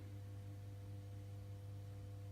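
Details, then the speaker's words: 1980 Fender Pro Reverb export tube amp, 70 W, restored, tubes biased and balanced, amp off: steady low hum from the power transformer, which stops when touched; owner suspects mechanical vibration, possibly needing replacement someday. "you can hear, even with it off and the tubes biased right and balanced right, the power transformer hums a little, and it'll go away when you touch it."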